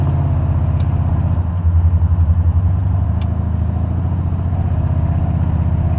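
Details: Buick 455 Stage 1 (462) in Regal T: steady fast ticking on the driver-side valvetrain over lumpy V8 idle, rising with revs up to 3000 rpm; owner suspects a lifter not pumping up or pushrod issue.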